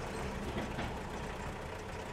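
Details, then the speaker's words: Diesel engine at idle after overhaul with injectors cleaned and recalibrated: even, steady idle with a soft low rumble, no knocking or misfire; quieter than before, so the injector ticking is now more audible; healthy. "Kalau kemarin suaranya kalah sama suara mesin kalau sekarang jadi suara pelatuknya jadi titik-titiknya makin kedengeran Mungkin kemarin ada cuma karena mesinnya berisik jadi nggak terlalu ini karakternya ya injektor dibersihin ya kalibrasi ulang"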